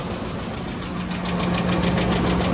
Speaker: It sounds like it is from the valve tray on top. Once it calms down, take a listen. The loud tapping noise on startup, and it's constantly there afterwards. Definitely on the passenger side.